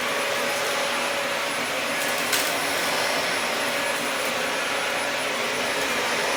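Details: Dyson DC40 upright vacuum, salvaged from a skip after sitting outside, first power-up: constant high-pitched whoosh at steady pitch, no surging, rattles or choking; running normally.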